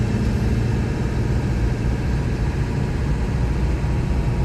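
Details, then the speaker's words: 1999 Ford F-350 Super Duty 4x4 with the 7.3 L Power Stroke diesel, 46,000 miles and an automatic, pulling uphill under load: a steady low drone, no knocks, and no flare or clunk between gears. Normal acceleration and gear shifts. "this truck drives like you'd imagine a 7.3 power stroke with only 46 000 miles on a wood there's not an issue at all with the automatic transmission it's just smooth as butter from one gear to the next"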